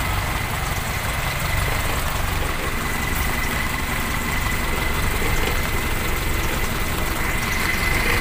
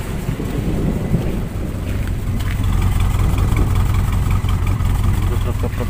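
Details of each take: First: Toyota Kijang Super petrol engine after work on rough running (carb cleaned, plugs replaced, ignition checked): steady even idle with constant low rumble, no misfire stumble or shake; sounds different now. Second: Toyota Kijang Super, carburetor cleaned and spark plugs replaced, before replacing spark plug wires: starts fine but bogs and stumbles when revved as if about to die, engine vibrating; ignition misfire, spark plug wires suspected.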